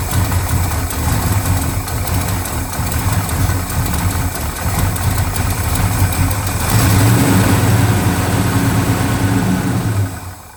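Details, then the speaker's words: 1970 Dodge Charger V8, unstarted since about 2008, fires on fuel squirted from a bottle after old tank fuel was drained, running with a deep steady rumble for several seconds before fading as the primer runs out; runs normally. "That was almost too easy. That sounds good."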